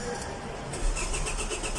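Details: Hyundai Elantra: starter spins the engine with an even beat of roughly seven pulses a second but it never catches; crank, no start.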